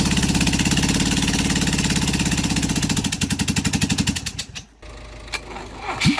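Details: Rebuilt LADA RX engine, possibly 1.8L, new camshaft, no exhaust (open manifold), only one spark plug connected, valves, carburetor and ignition unadjusted: loud slow popping beat fading after four seconds; running on one cylinder.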